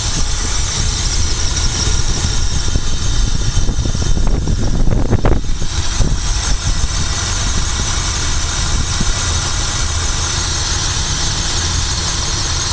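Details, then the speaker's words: Car with a 19-plate HHO generator drawing 19 amps in cold weather, fitted with pulse plugs and a voltage stabilizer: even, steady idle with a brief squeal and rev flare early, then settles into a smooth, healthy run. "It's running smooth. Sounds good."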